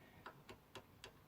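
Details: Blueridge acoustic guitar with cheap tuners: sharp light clicks about four a second as a tuner key is wiggled; the tuner button is loose on its shaft, causing an annoying rattle.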